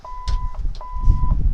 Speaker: hear your VHF do the beeping sign sound it's requesting what's called an MMS I number your Stobo or cito service will provide that number once you input that number in it you won't hear that beeping anymore